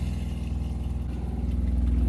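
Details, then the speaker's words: Water pump in a Sun-Lite 16BH camper kicking on to fill a replaced hot water tank with new PEX push-to-connect fittings: low, steady buzzing hum with an even, fast pulse, no stumbling or surging; runs normally, no leaks. "I hear it kicked on Tank's filling"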